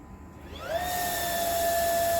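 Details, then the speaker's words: Household water pump running normally with the tap restored, steady motor whine with soft hiss and no banging in the pipes; water hammer no longer occurs. "balikin lagi, ini normal, kondisi seperti biasa."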